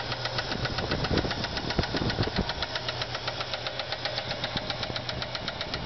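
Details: Ford Fairlane V8 at idle: sharp regular ticking, about four per second, over the rumble. No oil reached the heads and a camshaft bearing spun, flattening a cam lobe and ruining a lifter.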